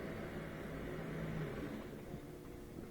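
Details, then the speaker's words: Miele dishwasher after F08 error repair: steady rushing water sprayed over a low motor hum, seemingly circulating continuously now instead of cutting out every 10 seconds; circulation pump running normally. "so before would circulate for about 10 seconds and then cut out rest 10 more seconds cut out rest but i think it's continually circulating now"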